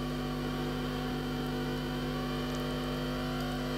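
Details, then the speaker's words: 1959 Ampeg M12 tube guitar amp powered up slowly on variac, vibrato possibly on: steady, even buzzing drone of stacked tones, the amp oscillating; capacitors and 6V6/5Y3 tubes suspected. "sure enough something is oscillating"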